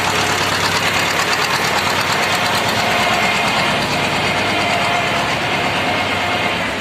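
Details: T-25 tractor diesel after repair (cable throttle, new brake drums, final-drive gaskets and seals): it catches and settles into an even, steady idle clatter with no misses or knocks; sounds healthy.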